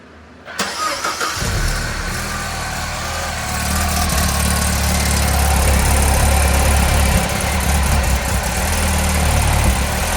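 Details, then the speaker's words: 2012 MINI Cooper S Countryman R60 ALL4 after timing chain and oil cooler leak repairs, exhaust fitted: cranks and catches quickly, settles to an even idle with a smooth light rev; sounds good, no leaks. "Give it a little rev. This sounds good. No leaks."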